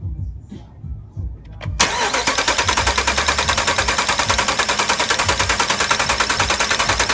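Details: 2009 Dodge 5.7 Hemi V8 at 130k miles cranks and catches, then idles with a steady lopey stumble, P0303 cylinder 3 misfire; swapping coil and injector didn't move it, cause a flat cam lobe.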